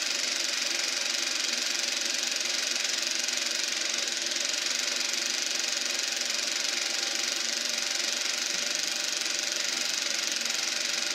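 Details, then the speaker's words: Eberspacher B1 gas heater for VW Beetle, bench test fire on second attempt: steady even high hissing roar, flame lit and burning cleanly inside; normal combustion heater running. "And we have ignition. I don't know if you can hear that, but you can hear that the flame inside there. Now we're cooking with gas."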